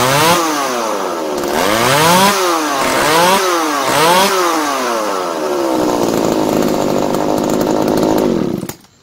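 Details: Tanaka ECS-4000 chainsaw that would not start, after carburetor cleaning and new diaphragm; revs up and drops back cleanly about four times, settles to smooth idle, then shuts off; normal running.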